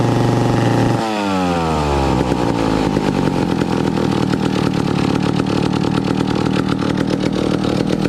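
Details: 1962 McCulloch 1-46 chainsaw, revived after lacking its carburetor and other parts: catches, settles to a steady idle, then buzzes evenly with crisp firing and no misses; runs healthy.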